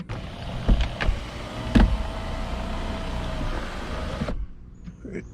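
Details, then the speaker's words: 2005 Mini Cooper S R52 convertible, convertible top sunroof section, after fitting a salvage replacement unit: steady motor hum for about four seconds, no slipping or clicking, clean stop. Owner believes the original unit's plastic gears were slipping. "So it seems to me that it was the gears on the original unit. So that part was an easy fix."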